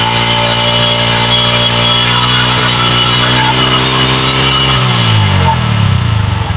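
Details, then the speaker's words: Megapro Primus motorcycle with a severe stutter, after battery, corroded-wire repair, new spark plug and carburetor service: revs climb and fall smoothly from low to high with no stumble. The stutter is gone and midrange pull is better. "Oke sudah lebih stabil ini kayaknya ya E putaran mesinnya dari bawah sampai ke atas sudah lebih baik"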